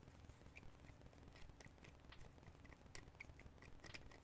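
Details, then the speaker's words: Third-party NES/SNES controller with working turbo: faint, irregular high chirps over background hiss, a weird squeak of unknown cause, before the controller is taken apart and cleaned. "got a weird squeak it's probably not too weird it's probably okay"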